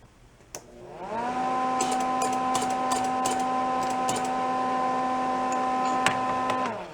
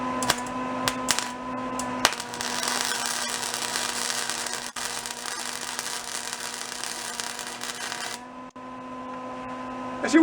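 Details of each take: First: Old roadside-discarded Lincoln wire-feed welder: motor spools to a steady hum with light irregular ticking; drive roller sits proud, out of its groove and not catching the teeth, so it must be moved out to line up. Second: Old salvaged Lincoln flux-core welder, revived with lubrication, turned up to voltage setting C: a steady, even crackling sizzle holds for about five seconds over a faint hum, giving a good, stable weld arc.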